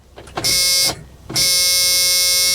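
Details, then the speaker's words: Salvage stolen Kia Optima that may have sat with water in the engine: with clutch in and brake pressed, the key gives a steady high buzzing hum in two bursts as the fuel pump primes, but the engine doesn't crank. "I heard the fuel pump. You're kidding me."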